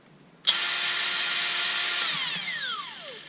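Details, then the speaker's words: Kielder 18V brushless drill that works intermittently, possibly misassembled at the factory: high-pitched motor whine starts abruptly, runs rough, then winds down unevenly with something rattling inside; intermittent fault, cause unconfirmed: abnormal motor noise. "something's uh rattling around so yes there's a a f somewhere strange fault seems to come and go and sound rather strange"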